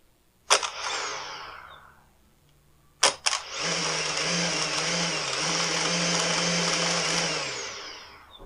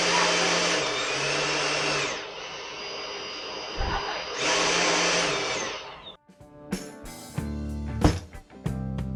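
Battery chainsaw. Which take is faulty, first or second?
first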